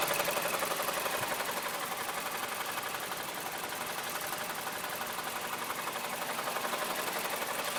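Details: 2008 Mazda CX-7 at quiet idle: steady, evenly spaced tapping about four per second over the engine hum; an engine knock of unknown origin.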